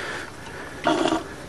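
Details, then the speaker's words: Briggs & Stratton 9 hp single-cylinder OHV engine, removed from a walk-behind mower, turned by hand: one hard metallic clunk and the crank stops short of a full rotation; crankcase not cracked, something likely jamming in the head. "rotate, clunk. It won't do a full rotation. Sure sounds like that to me."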